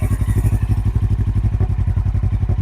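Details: 2007 Suzuki GS500F, revived after sitting, started for the son, still needs tires: low, steady thump, about nine beats a second, even rhythm, no knocks or misses; normal, healthy idle.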